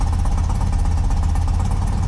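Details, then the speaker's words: 35-year-old BMW boxer-twin motorcycle started after repairs, before shipping: a steady, even low idle thrum with no knocks, misses or rattles; it sounds better than before and the engine is running healthily. "好的，挂空挡，拉动启动绳，它运转了，乍一看，一切听起来都不错。"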